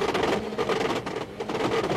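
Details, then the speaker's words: Rally car in a stage, likely with a broken drive shaft and struggling for traction: a loud, fast, uneven metallic rattle fills the cabin over the engine; drive shaft suspected. "he's struggling with the traction you can hear it rattling the drive shaft rattling around"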